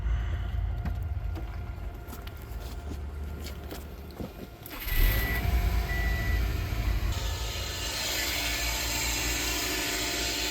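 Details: 2006 Subaru Impreza WRX idling with a dry, uneven chattering rattle at the front of the engine, suspected alternator or AC compressor at first. It turned out to be a worn serpentine belt tensioner bearing.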